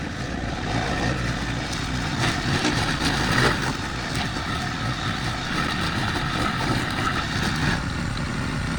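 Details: Craftsman brush mower, early-to-mid 2000s, sat 3 years then carburetor rebuilt, air filter, spark plug, oil change, new strings: engine holds a steady, strong drone chewing through tall grass, no surging or misfires; healthy under load.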